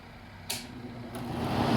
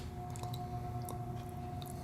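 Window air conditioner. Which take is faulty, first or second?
second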